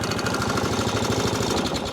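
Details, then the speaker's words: Atco Balmoral 20SK 20-inch mower with Kawasaki engine, freezing cold, choked, starting first pull: small single-cylinder chugging at a quick, even beat with no misses or knocks, healthy cold start and running. "First pull, every time. Ready? Hold ya. Every single time. First pull."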